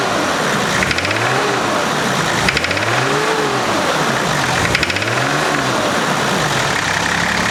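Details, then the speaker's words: 1991 Nissan Patrol GQ TD42 naturally aspirated diesel revving up and falling back, sharp knocks over the clatter as revs climb; previous owner reportedly ran it low on oil and called it rod knock, unconfirmed; engine knock. "um and now it has a what he said was a rod knock"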